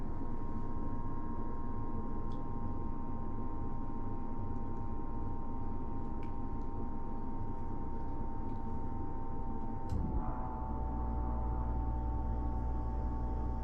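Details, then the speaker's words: Dometic Brisk II RV roof air conditioner just after its start/run capacitor was replaced: a steady fan hum, then the compressor joins smoothly with a deeper rumble. A healthy start. "so let's try to start the air conditioner and just see what sounds"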